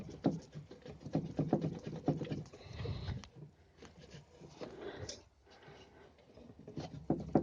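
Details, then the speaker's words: Volkswagen Polo sedan steering rack with torn boot: dull, uneven knocks each time the tie rod is pulled up by hand; worn steering rack with loose play. "берем за тягу и начинаем ее тянуть вверх не слышим характерный стук вот он"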